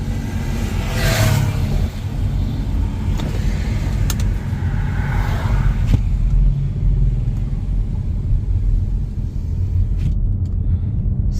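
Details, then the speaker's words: Nissan Teana test drive after replacing front suspension parts, cruising at fairly high speed: steady low engine drone with no knocks or clunks from the front end and no side pull; drives smooth and healthy. "അത്യാവശ്യം നല്ല സ്പീഡിൽ ഇപ്പോ പോയാലും വേറെ നേരത്തെ പോലെ ഒരു side പുള്ളി കാര്യങ്ങള ഒന്നും നമുക്ക് കിട്ടുന്നില്ല. വാഹനം ഓടിക്കാൻ നല്ല സ്മൂത്ത്"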